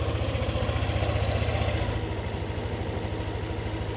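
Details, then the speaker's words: Yamaha NMAX 155 V2 after repair and ECU reprogramming for hard starting, low idle and stalling, error codes cleared; quick even putter at slightly high idle near the stated 1615 rpm normal, no misses or stumbles; normal idle. "165 yung sir dapat 1615 yung normal ito yung normal sir."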